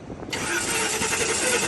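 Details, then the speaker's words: Drag-racing engine, described as hurt, heard right after a pass of 698 at 162 mph; it catches abruptly, then runs with a harsh, sharp rattling clatter on top. Valvetrain noise, and the team hopes it is just a rocker. "That could just be a rocker. It could just be a rocker. Let's stay optimistic here. It could be a rocker."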